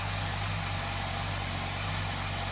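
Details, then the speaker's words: 2008 Honda CBF1000 after a no-start with a weak battery, run on a jump starter; the cause of the no-start is still uncertain. A steady, even idle with a constant low hum and no misses, knocks or hunting. The engine is running smoothly. "yeah I'm a bit baffled really but it's fixed"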